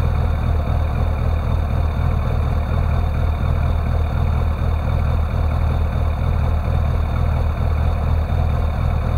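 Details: Classic Rover Mini with an unstable idle: it won't rev when the throttle is opened, although the throttle voltage changes. Low idle rumble with a slightly uneven beat near two per second; cause not yet known.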